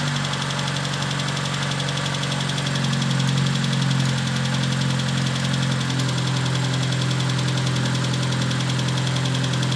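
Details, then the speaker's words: Proton Satria after lifters removed and cleaned: quick light ticking over steady idle hum, idle a bit high; hydraulic lifter tick until oil pressure refills them. "now she's also very Ticky at the moment because remember I pulled out the lifters and what's it called um and clean them out completely so the oil pressure needs to build that back up on them once that happens it should be good again"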